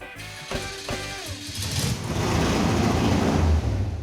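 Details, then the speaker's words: Mazda mini truck swap running gas on an E85 tune with too much fuel. It catches, then stumbles and lurches unevenly into a ragged run from the overly rich mixture; removing about 50% of the base fuel map made it run far better. "This thing was on a E85 tuneup, and E85 requires a lot more fuel than gas. So, uh, we took like 50% of the fuel out of the base fuel map."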